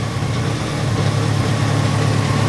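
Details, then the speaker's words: Grinnall Scorpion with new radiator cooling fan, engine at hot idle: steady even fan rush over smooth low idle, no rattles or rubbing; fan running normally and cooling. "Marine light is still up because the fan is still running but the air I'm feeling the heat of this air here is nothing like as hot as it was when I first felt it when that fan kicked in"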